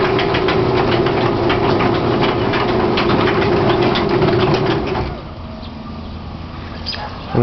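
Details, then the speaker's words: Chain-drive garage door opener raising the door: steady, even motor hum and smooth chain drone, with no shudder. Normal on the way up; the door shakes and catches only when going down. "up and again it's smooth going up"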